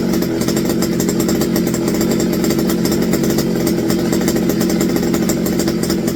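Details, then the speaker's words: McCulloch BP1 balance-piston two-stroke chainsaw, carburetor rebuilt with a kit, with a non-working primer: crisp, high-revving buzz with even firing, no stumble or surging; normal running. "he sounds pretty good sounds like a modern day chainsaw"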